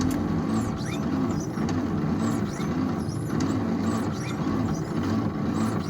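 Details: 1953 International L160 truck, long parked, earlier no spark, choke on with starter fluid sprayed into carburetor: starter turns over slowly and evenly for six seconds but engine never catches; cranks without firing.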